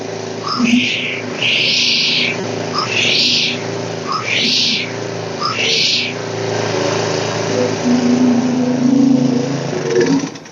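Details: DR walk-behind string trimmer after repair, started freshly fueled with air filter off, warming up: a few quick blips then smooth, even run; normal running.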